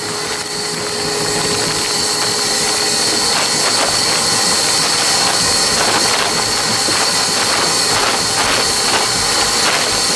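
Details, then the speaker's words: Insulation blower machine during house renovation, blowing loose-fill insulation; steady airy rush with thin high whine and soft churning, quieter while carrying material than when emptied; running normally under load. "when the stuff's coming out it blows pretty nice and then when it emptied out there really started blowing making a lot of lot of wind movement up here it's a lot quieter when it's blowing stuff"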